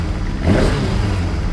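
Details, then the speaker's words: Kawasaki ZXR750 H1 four-cylinder after carburettor cleaning, first start on a start pack without choke, not yet warm: catches and takes a quick blip, running lumpy and uneven; sounds terrible, carburettors unbalanced. "Okay, it sounds terrible just listening to it right now. But it starts."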